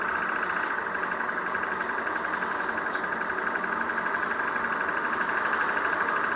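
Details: Hyundai/Kia Gamma GDI engine (K3): steady idle with light, fast ticking about four taps a second on top; source unclear, owner suspects GDI defect such as tappet noise, scuffing or knocking, unconfirmed.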